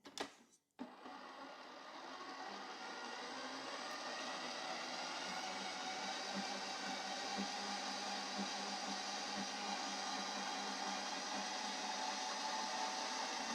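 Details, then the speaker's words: Ooni Halo Pro spiral mixer (second replacement unit) running empty: a steady whir with a faint regular tick about three times a second from inside; the owner suspects the belts. "There's a noise inside that. An odd noise. Now, to me, that sounds very much like the belts."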